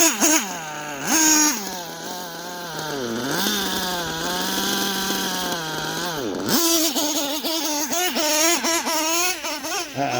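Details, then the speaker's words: OPS Speedster Power .21 nitro RC engine, needle leaned another eighth turn chasing max power: high buzzing revs climb and hold, then sag instead of pulling clean; lean bog at top end, so the eighth is backed off. "yeah yeah yeah that's it let me go ahead and back off that eight I just put on yeah that's lean bogging so let me back her [Music] off"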